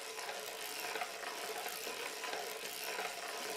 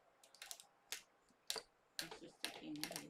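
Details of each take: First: 130-year-old circular sock knitting machine cranked by hand; light, even clicking and rustle with no binding or grinding, runs smoothly with little effort. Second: 130-year-old circular sock machine: sharp, irregular metal pops as the bonnet is pushed toward the cylinder with downward pressure and needles catch; some needles missed, others brought up.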